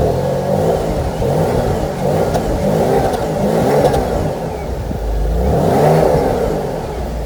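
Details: Cold start of a 25-year-old BMW E46 inline-six of 150 hp: a smooth, even six-cylinder note swells with a couple of light revs and settles back, with no knocks or ticks. A normal, healthy engine.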